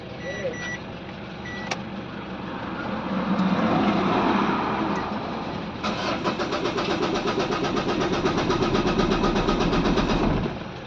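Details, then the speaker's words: Ford Everest diesel, hard starting in the morning: starter churns steadily at about four beats a second for several seconds and never catches; injectors to be checked, number two injector under suspicion. "Yan po meron tayong Ford Everest hard starting sa umaga kailangan katihan so try m na po natin start"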